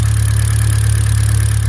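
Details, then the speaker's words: Hyundai Elantra GT 1.8 with 330,000 km idling after new iridium spark plugs and ignition coils, in cold air: smooth, even idle with a steady low hum, no ticks, knocks, vibration or misfire; sounds very nice. "hoping it's not vibrating all over the place. It sounds very nice. It does."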